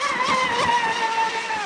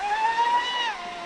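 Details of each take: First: Traxxas Spartan RC boat, two 6S 5200mAh packs in parallel, 48mm profile prop, end of last run: high motor whine sliding lower as revs sag; owner suspects batteries are depleted, speed controller and capacitors hot afterward. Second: Traxxas Spartan RC boat on two 6S 5200mAh packs in parallel, 48mm RC Boat Bitz profile prop, full-throttle speed run: high clean whine holding pitch then easing smoothly, not labouring; normal full-throttle run.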